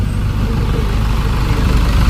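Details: 2012–13 Chevrolet Colorado diesel after the injector and wiring repair, on a morning cold start after sitting overnight, with no white smoke and no codes. A low, steady rumble with an even beat and no knock or stumble: a normal, smooth cold idle.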